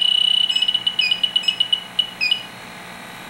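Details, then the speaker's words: Fieldpiece SRL8 leak detector on R410 HFC reference leak, detecting about 2 inches away: rapid high-pitched beeps quickening and stuttering as the probe nears the hole; picks up the HFC leak. "easily picks it up and maybe 2 in away you get it just right in the right [Applause] spot"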